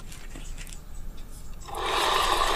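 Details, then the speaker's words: Yamaha Mio M3 scooter after final drive (gardan) gear repair for harsh noise on throttle-off, rear wheel spun by hand: short, even whir with no grinding or catching; final drive now about 90% smooth. "seperti ini untuk suaranya udah cukup halus ya teman-teman walaupun Enggak 100% ini mungkin 90% udah halus"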